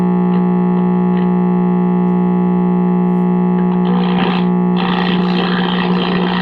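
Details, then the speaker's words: 1952 RCA Victor 1X52 All American Five AM tube radio at first power-up before repair: loud, steady low hum with buzzy overtones and a faint station creeping in behind it, the classic sound of dead filter capacitors. "oh yeah I'm mistakable filter cab home well we are getting a station behind the home so that's promising"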